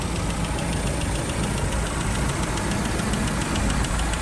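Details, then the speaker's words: 1948 Land Rover Series 1 80in, warm idle: steady even idle with light regular valve tick, no knocks or misses; bonnet vibration audible, runs like a little sewing machine. "really does run like a little sewing machine but there we have it i think"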